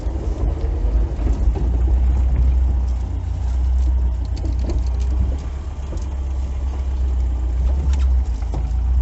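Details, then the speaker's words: VAZ 2101-07 turning and rolling slowly into garage after ball joints replaced: low, even rumble with no creak or squeak from the front end; previous squeak when turning the wheel gone. "короче уже скрипов нет таких"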